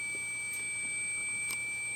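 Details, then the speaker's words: Apple PowerBook 170 at power-on: a thin, steady high whistle from the speaker over a faint room hum, unchanging; it goes away after a while, cause unknown. "I do apologize for that high-pitched whine. It will go away, trust me."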